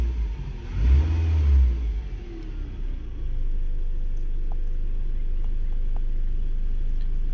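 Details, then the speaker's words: 2002 Toyota RAV4 with replacement used engine from a 2003 RAV4, after engine swap and clearing codes: revs up smoothly and settles to steady even idle, running better; earlier fault likely a bad O2 sensor, transmission code remains. "it sounds like it's running a little better all right let it run for a couple minutes"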